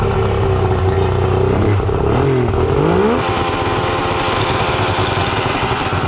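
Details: Suzuki DT65 two-stroke outboard, non-runner with backfire history, just started: idle stumbles and wanders with uneven beats and a brief rev surge; rough idle, owner unsure of cause, adjusting idle screw.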